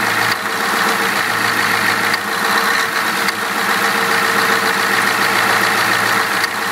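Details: Ford 7.3 IDI turbo diesel: loud clatter running steady with a few brief stumbles where the beat drops out, like a cylinder missing now and then; owner suspects bad injectors, not confirmed.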